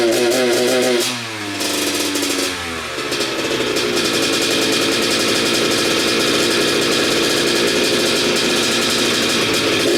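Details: Kawasaki KX85 two-stroke with pipe refitted: revs raggedly, popping and stuttering at the top; power valve not moving, owner believes it's the cause, also suspects bad stator (pickup coil resistance near limit), possibly CDI. Misfire.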